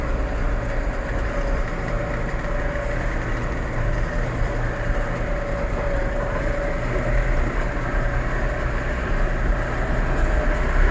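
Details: Massey Ferguson 4708 tractor running steadily with a constant low drone and a faint steady whine near 600 Hz; gearbox noise suspected.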